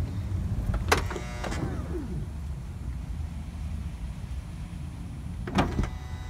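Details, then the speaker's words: 2006 Honda Odyssey driver-side power sliding door clunks shut, motor whirs and pulls door in too far, strains a few seconds, then releases with a clunk; afterward the door-open alarm beeps continuously. "okay so notice what it's doing it's pulling the door shut just reverse it here it pulls it too far in strains and releases"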